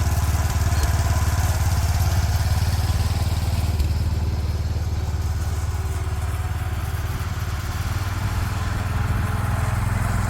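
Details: 36-year-old Toro Wheel Horse 416-8 garden tractor after fixing a leaking fuel line: single-cylinder thumps at a steady low beat with no stumbling or surging; sounds pretty good, normal running.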